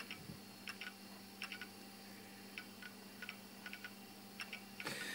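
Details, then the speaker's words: Toshiba Libretto 50CT Pentium-era laptop running Windows 95 installation: sharp, uneven clicks every half second or so over a faint steady hum; the hard disk is failing. "Now if you can hear that click, that does tell me that the hard disk is actually on its way"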